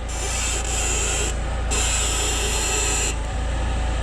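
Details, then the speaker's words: Lada Niva Travel, 28,000 km. Two long dry rasping creaks while the steering wheel is turned at standstill; a worn front ball joint, the owner thinks most likely the lower one; warranty repair planned. "то есть когда при повороте руля фото под на месте у вас слышны скрип и это однозначно шаровая уже точно можно сказать"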